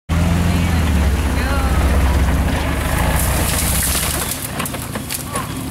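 Low engine drone runs steadily for a few seconds, then sags and fades out as the engine dies; it's stalling.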